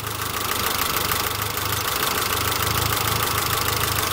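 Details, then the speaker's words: Galant VR4 just revived after long storage, vacuum about 19, heater working: fast, loose clatter about three per second over a steady idle, loud even warm. Ticking of unknown cause; owner notes hood prop noise. "It's making a lot of noises."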